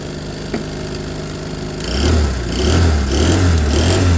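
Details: A friend's small two-stroke Piaggio fires up into a wavering, hunting note that rises and falls instead of holding steady; it has good strong spark and fuel is spilling; a bunged-up carb is suspected; cause not confirmed.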